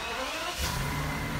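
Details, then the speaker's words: 2004 BMW 760Li V12, 59K miles, with a long-cranking problem and no codes, after the fix (high-pressure fuel pump diaphragm module replaced): catches in about half a second and settles into a clean, steady rev with no stumble. "this is after replacing the module you should be able to walk up you put it on the brake and do this that's right up"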